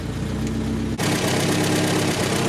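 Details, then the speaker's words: 1964 Volvo 1800S, warm, at idle with good oil pressure: steady idle with light regular ticking at engine speed; owner says these engines always click a little, unchecked under load. Suspected valvetrain or lifter ticking. "doesn't sound sound too bad these these engines always have a little bit of like a kind of like a little bit of like a a click to it which I thought was litic"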